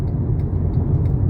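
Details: Mercedes-Benz W204 C200 CGI rear after repair, driven at about 70-80 km/h: even low road rumble, no howl or drone climbing with speed; rear wheel bearings sound normal.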